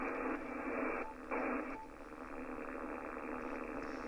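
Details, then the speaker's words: Ham radio receiver on 80 metres, loop-on-the-ground receive antenna switched in on an empty band: steady raspy, slightly pulsing buzz. This is RFI from a neighbour's running lawnmower, long mistaken for a faulty loop. "and you look, that's the interference I was receiving when I thought the loop was faulty."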